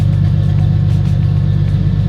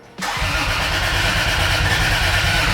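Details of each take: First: Turbocharged Lexus IS300 finally idling on its own after a rebuild of over a year: steady, even low rumble with no stumbles, though an intermittent miss was noted just before; normal idle. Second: Turbo Lexus IS300 start attempt with the injector turned off: fast, even cranking for over two seconds without catching, cranking but getting no fuel.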